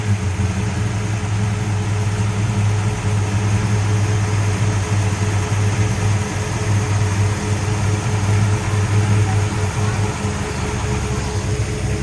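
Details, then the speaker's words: 1966 Pontiac GTO convertible V8 after a white-smoke repair (water was getting into a cylinder). It runs with a deep, steady rumble and no misses, knocks or ticks. A little blue smoke is put down to work contamination; no white smoke now. Normal running. "she sounds good well that's a result you can see us when we rubbed it there was a little bit of blue smoke coming out i'm not concerned about that"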